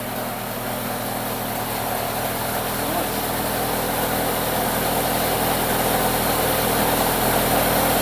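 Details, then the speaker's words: Newly rebuilt 2.0 Pinto engine in a Mk1 Ford Capri, smoke just burning paint: smooth, even idle with a steady low beat and no knocks, ticks or misses; running sweet. "So yeah, there we go. One newly built Pinto running sweet as a nut."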